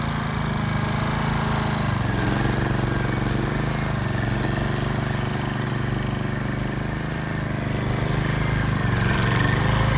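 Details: Repaired hybrid RCLM mower, after fixes for unsustainable power and a faulty electric start. At full power forward the steady gas-engine drone dips slightly in rpm under load and holds there; this is the normal response of a sustainable system.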